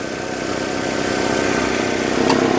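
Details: 2005 Nissan Altima 2.5L four-cylinder idling after valve cover replacement and new plugs, coils and boots that fixed oil-in-plug-tube misfires; even, steady idle with smooth rhythm, no misses or stumbles; sounds healthy.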